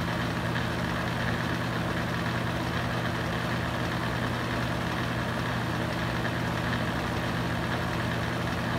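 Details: Used Hurricane box fan, running on high speed: loud steady roar with a low droning hum. Excess vibration, possibly from loose blades, unconfirmed.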